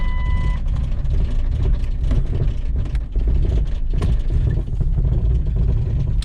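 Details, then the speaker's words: 1999 Jeep Cherokee XJ 4.0L, won't idle, engine noises under hood: low uneven rumble that sags and stumbles while trying to drive, then stalls; cause not determined. "All right, this thing won't idle, so I had to pull the jumper pack off."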